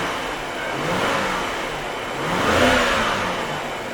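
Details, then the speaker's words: BMW N62 V8 after replacing a misfiring ignition coil with a spare: blipped twice, revving rises and falls smoothly with no stumble, misfire or knock. "okay so so far it's seems okay i'm going to put the econ on and give it a couple of revs"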